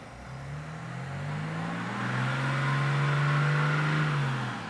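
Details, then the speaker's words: Rebuilt, previously wrecked BMW X5 diesel, cold engine just started, revved lightly and held under 2000 rpm: it rises smoothly and settles back with an even hum and no knocking or banging. A normal rev. "So what I'm gonna do is raise the revs a little bit, just to make sure that the engine hasn't got any weird noises. No knocking, no banging, nothing like that."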